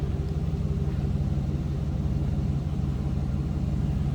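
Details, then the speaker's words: 2005 Chevrolet SSR, 6.0L V8, 38,971 miles, no warning lights, heard from the rear at the exhaust: deep, even burble at steady low idle with no misses, ticks or knocks; healthy, sounds as it should. "Nice sounding, as it should. Again, that 6-liter V8 underneath the hood."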